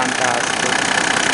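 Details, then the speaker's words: 1999 Mercedes E300 OM606 turbodiesel after replacing the separated belt tensioner shock that rattled: a steady, even idle clatter with no belt-area rattle, and the injection pump is the loudest sound. Normal idle. "oh my God this is fantastic it's absolutely quiet the loudest sound I hear is the injection pump actually"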